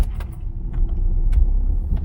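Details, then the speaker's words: BMW 1 Series after treating rear lower arm suspension bushes (water ingress) with Würth Ultra 2040 lubricant: driving over bumps with low road rumble, light rattles, and no squeak. "oh listen to that it's perfectly quiet so the squeaking is gone the suspension where it was squeaking over every single pump is now silent"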